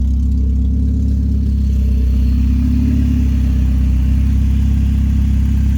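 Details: PT Cruiser with open header/downpipe (downpipe missing one bolt), warming-up idle, alternator charging but belt loose; loud, deep, steady rumble shaking the car, no belt squeal; loud exhaust from open downpipe at idle.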